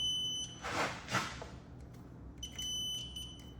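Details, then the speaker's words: Aging multimeter on continuity setting while checking a Buick's solenoid wiring for ground: steady high-pitched beep cuts out then returns; intermittent continuity tone, suspected to be the old meter, not confirmed. "Meter's getting a little old, so it do be beeping."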